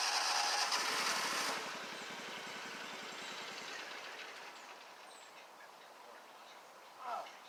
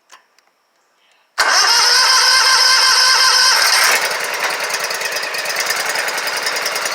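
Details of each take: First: Scag Tiger Cat II zero-turn, Kawasaki FX691V twin, after repairs, while driving: loud running suddenly drops to a faint sputtering pulse that fades out as the engine stalls; owner thinks it ran out of gas. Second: Scag Tiger Cat II zero-turn mower, Kawasaki FX691V twin, first start after bent pushrods, broken rocker holder on cylinder 2 and valve adjustment, choked, weak battery: catches right away, fast even beat then settles steady; sounds much better.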